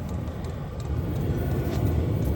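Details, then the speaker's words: Hcalory diesel heater on temporary setup, fuel pump running, just starting to get heat: low steady fan rush building slightly as it spools up, no rattles or scraping; normal startup. "starting to get a little heat you can hear it spooling up"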